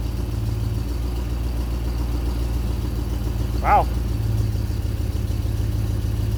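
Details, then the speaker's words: 1964 Chevelle sitting for years, first start after new mini high-torque starter fitted: catches easily and settles into a steady, even low rumble at idle, no misses or knocks; healthy. "wow i want to check a few things but darn that sounds pretty good and fired up pretty easily for a car that's been down for a while"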